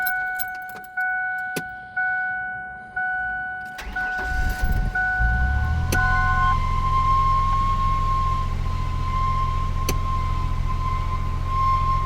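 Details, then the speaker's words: 1998 Ford Explorer, sat five years, fresh oil and fluids, engine idling high at about 2,000 rpm: steady high squeal over the idle persists after belt conditioner; owner thinks it sounds like the power steering pump, cause unconfirmed. "Nope, squeal's still there. Where's it coming from? Sounds like the power steering pump, but sounds terrible."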